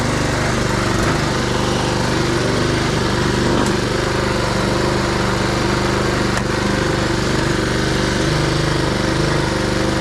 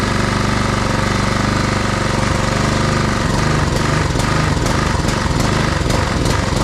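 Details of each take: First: Husqvarna push mower with Honda GCV160 engine, after new air filter back plate, carb cleaning, oil and plug service for a lean surging condition: steady buzzing at even speed with no hunting or surging, then shut off. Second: Husqvarna push mower with Honda GCV160 engine, after tune-up, missing original air filter assembly: runs steadily on choke, then surges unevenly and nearly dies once choke is opened; lean running, suspected clogged carburetor jet.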